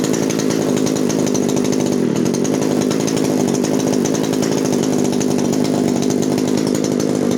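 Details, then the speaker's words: 1997 Echo HC-2300 two-stroke hedge trimmer, started on choke after repairing cracked carburettor fuel-mix lines and adjusting the H, L and T screws, revs steady and even with a crisp buzz, no surging or stumbling; running cleanly. "donc voilà une pure réussite"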